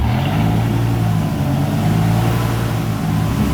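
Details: 2000 Dodge Viper GTS after a Tremec T56 rebuild for a clicking, rocks-inside noise: in fourth gear, a smooth, even drivetrain hum with no knocking, grinding or whine, so the gearbox sounds healthy.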